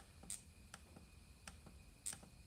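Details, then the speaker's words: Sea-Doo RXT 230 spark plug test outside the engine using a known-good plug: sharp, crisp snaps about every half second show the plug firing and the coil delivering spark normally. "and then there you can hear the noise and see a spark at least i can yeah you can see the spark on the video"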